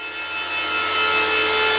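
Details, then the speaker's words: Bitmain Antminer S21 XP air-cooled Bitcoin miner after about 24 hours of mining at home: loud, steady airy fan rush with faint fixed whine tones, building slightly then holding even; fans spinning hard and healthy, normal operation. "if anyone's thinking about buying Bitcoin miners like this for home one it's loud okay I forgot to talk about that this thing"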